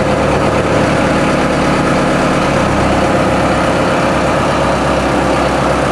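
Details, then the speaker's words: TDME-490 marine diesel newly fitted in a motorboat with no soundproofing, replacing a 4Ch engine, revs raised to 1000 rpm: even, steady drone with no knocks or misses; healthy diesel at raised rpm. "Сейчас мы добавим немножко оборотов. Доведем обороты до 1000."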